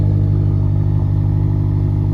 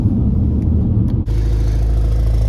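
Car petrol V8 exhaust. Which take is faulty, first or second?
second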